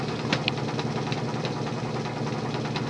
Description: This particular fan has a bit of a running knock to it, as the rubber drive wheel has a tendency to deform over time if left unused for a while